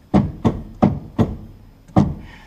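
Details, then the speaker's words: Polaris RZR XP 1000 rear stabilizer bar rocked by hand: five sharp, hollow clunks from lateral play between bar collar and bushing despite shims; owner suspects worn bushings, clunks while riding. "so you can imagine when the thing's moving back and forth i'm getting a lot of that noise when i'm riding"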